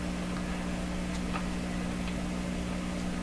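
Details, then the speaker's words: 1929 Victor RE-45 radio, detector stage, heard through a signal tracer with its own hum: a handful of sharp, irregular clicks about every second over a steady low hum. Intermittent crackle; cause suspected around the detector tube, not confirmed. "definitely it's definitely clicking okay that's enough"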